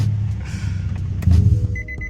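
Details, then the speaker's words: 2004 Nissan 350Z V6 (DE), warm, idling: an uneven stumbling idle with a bad misfire that progressively worsened on the road. The owner found a lot of oil at the spark plugs and suspects worn valve-cover tube seals. "anyways that's an issue it's just going you can hear the [ __ ] motor struggling to get correct fire and order off and all that"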